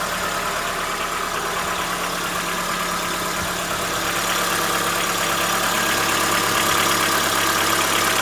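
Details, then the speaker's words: Chevrolet Onix 1.4 2014/15 on gasoline, cold start: light even tapping about three times a second at idle under wind noise, diesel-like, persisting about 10 minutes since new; owner suspects lifter knock, dealer calls it normal; unconfirmed. "Barulho característico para mim, motor de diesel. Vamos lá. Logo após a partida, começa a fazer o barulho."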